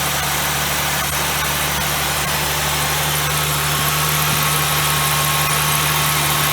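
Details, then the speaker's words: 2000 Ford Windstar 3.8, first start after replacing the pin-holed water bypass tube under the plenum with new gaskets and isolator bolts. Smooth, even idle hum with no hissing or ticking; no air leak heard, a normal idle. "i just started it up for the first time it sounds good i don't hear any air"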